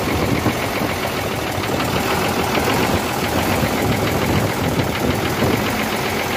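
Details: Hino J08C diesel truck engine that overheated, top cover open: rough loud clatter with heavy irregular knocking from cylinders 1 and 2, plus back compression; injector pipes loosened to find faulty cylinder.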